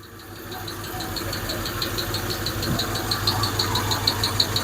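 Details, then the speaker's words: Hemi engine idling with coils installed: sharp, regular light tick about three times a second over the engine, heard on both sides; a top-end tick, exact source unconfirmed. "Sounds like it's on this side too. Probably live with it if that one wasn't clanking so bad."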